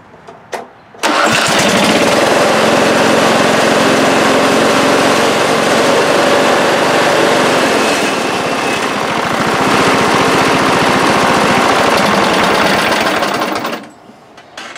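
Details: 1998 Briggs & Stratton V-twin that bogs at full throttle but starts and idles fine, with one plug clean and cold: it holds a steady, even beat at fixed throttle during a spark check. Both cylinders get spark, so ignition is fine; cause still unknown.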